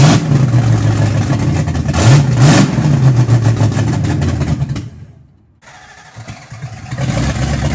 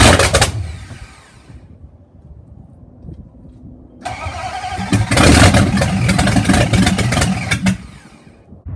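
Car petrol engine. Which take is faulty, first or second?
first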